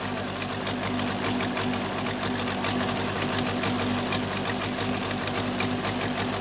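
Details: Case 580C backhoe diesel after valve adjustment, injector lines cracked; fast uneven clatter about four ticks a second, second cylinder weak; owner suspects second injector, valve or piston rings, not the line: diesel misfire.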